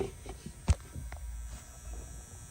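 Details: EZGO golf cart PowerWise charger with DC cord in the cart and AC power plugged back in. One click, then a low, steady electrical hum: the charger has switched on and is running normally.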